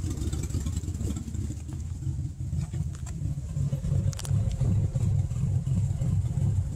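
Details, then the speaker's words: 1998 Ford F-150, 5.4L Triton V8, at idle when stopped: low, uneven pulsing and stumbling that shakes the whole truck, sounding like a misfire though it isn't. Runs fine under throttle and sometimes stalls. Rough idle from a vacuum leak. "shakes the whole truck almost sounds like it's got a misfire but it doesn't"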